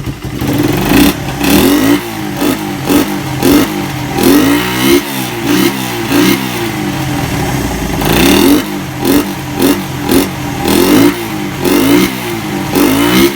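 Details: Suzuki Satria FU single after repair of compression loss caused by a badly leaking valve seal, with a new piston: repeated sharp throttle blips rise and fall cleanly with no misfire, popping or clatter; revs healthily.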